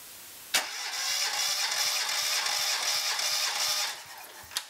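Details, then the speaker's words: Cranking compression test via remote starter, key off, throttle held open, about six revolutions on cylinder one reading almost 220 psi dry: even cranking rhythm, two to three beats a second, steady hiss, no lazy strokes; normal cranking. "I'm gonna want to look at the gauge hold the throttle open and I want to crank it through five to eight revolutions however many revolutions I do on this cylinder I'm gonna want to do the same for everyone"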